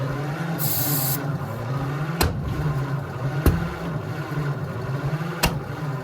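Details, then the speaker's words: 1948 Ford F4 truck, flathead V8, not started in about 20 years, cranks over then fires with three sharp pops about a second apart; backfiring without a steady run; spark plugs and wires suspected, not confirmed. "All right, so as you saw, we're definitely backfiring, which is not great. We're definitely at least getting it shooting back up, which does mean we are getting a little bit of ignition."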